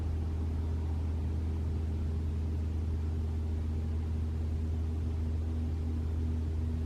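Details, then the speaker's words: 2021 Toyota RAV4 Prime SE in EV mode after charging, around 47 degrees with heat on: quiet, steady low heat pump compressor hum with even tones and no honking or rising note, running normally without the usual noise. "it's fine I can hear it humming it won't make the noise anymore guys what the heck red yeah it's fine"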